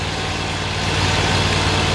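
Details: Great Dane Chariot zero-turn mower with Kohler CV730 V-twin, which has a cutting-off problem, started with a little choke: even, steady low idle with no stumbles or surging, still running after a minute.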